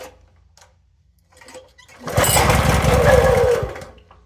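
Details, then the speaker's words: Toro SG-6 stump grinder, Honda GX200, brand new carburetor, full choke, fuel and spark confirmed: catches, chugs unevenly about a second and a half, then dies; it acts fuel-starved, though the cause was later found to be the oil level. "So it's acting like it wants gas. It's a full choke. Still can't keep it running."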